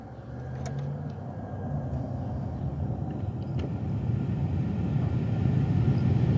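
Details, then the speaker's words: Car with ignition on after replacing the clicking blend door actuator: only smooth even vehicle rumble, no repeated dash clicking; blend door actuator quiet and working normally. "Before, when I used to just put the car on, just like this, you would hear that click, click, click, click. Now, there's no clicking noise."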